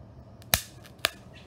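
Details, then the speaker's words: Electronics overvolted on a variac, amplifier circuit cranked past 19 volts: two sharp cracks half a second apart in a quiet room; a component popped from overvoltage. "i missed it but i definitely heard it pop"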